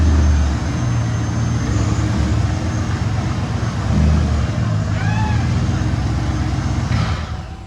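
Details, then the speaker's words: Corvette: heavy, deep, unmuffled exhaust rumble holding steady throughout, far louder than stock. "now that he's shut off the only corvette in the world that sounds like an express van with the mufflers hacked off"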